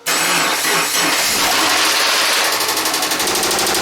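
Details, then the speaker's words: 2009 Subaru Forester 2.5-litre boxer, just started and idling: loud rapid knock about three a second from internal engine damage; engine to be removed. "and as you guys can hear it's making a huge knocking sound this is unbelievable do you hear that knock so bad engine this engine is completely out"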